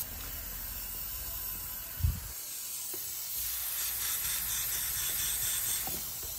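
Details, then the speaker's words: BMW E36 with LQ4 6.0 L V8 swap and BorgWarner 72 mm turbo, DIY boost leak tester pressurizing intake: steady thin air hiss at new Turbosmart blow-off valve, O-ring not seated; fixed by reseating valve and refitting V-band clamp. "as soon as i put it on i can already hear something over here it's actually coming from the blow-off valve so i'm just going to make sure i have it on correctly i can hear the boost leak coming from my it's coming from my blog though"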